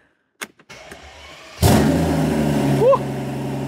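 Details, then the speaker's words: Mercedes CL65 AMG V12, exhaust removed and started with open turbos before bolting the exhaust back on; cranks, catches and revs with a raw, hollow roar and rising turbo whoosh, owner says it sounds bad; turbos confirmed spinning and working. "like wow I was not expecting that that was kind of weird huh can definitely hear those turbos though there we go turbo spinning away we know those are working but man did you guys expect it to sound like this it kind of sounds bad"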